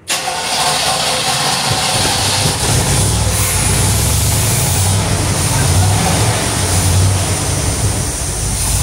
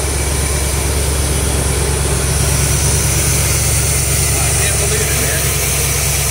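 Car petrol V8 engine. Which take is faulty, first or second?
second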